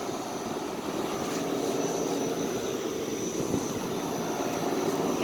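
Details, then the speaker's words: Vintage Day & Night air conditioner after coil cleaning, old reciprocating compressor (owner thinks Tecumseh), three-blade condenser fan: steady fan whoosh over a smooth compressor hum with no knocks or rattles; normal healthy running. "i'm thinking that's probably an old tecumseh sounds like one very nice sound i really like that"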